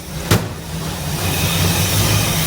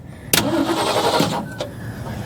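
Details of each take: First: 1966 Ford Ranchero, factory V8, with good spark and fuel, still needs to warm up: catches after a brief crank and settles into a steady, even idle with a smooth low rumble; normal idle. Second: 1966 Ford Ranchero cranking without starting after pumping the throttle; starter turns the engine but it never fires, no spark found; owner suspects bad points or condenser.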